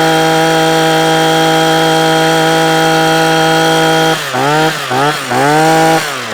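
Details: Parkside two-stroke hedge trimmer after a new carburettor diaphragm and a cleaned fuel screen: a steady high buzz, then clean rev-ups and drops with no stumbling or cutting out. It runs as it should where it used to cut out after two or three minutes.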